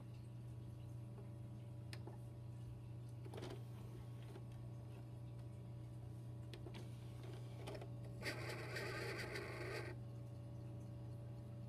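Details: Original Xbox model 1.0 with Thompson DVD drive, laser tweaked, Xenium modchip: steady low drive hum with scattered clicks, then a rough grinding burst under two seconds.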